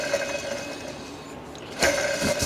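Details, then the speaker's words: 2006 Chevy Silverado 2500HD LBZ Duramax, belt and fan removed, fan idler pulley spun by hand with mic close: dry gritty whir and rough ring as it coasts; worn idler bearing believed cause of belt squeaks. "I'm fairly confident that's making a bunch of our noise."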